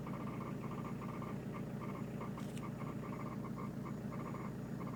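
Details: Peugeot 306 turbo diesel rough idle with rhythmic chattering tick about four times a second; unusual idle noise, cause unknown.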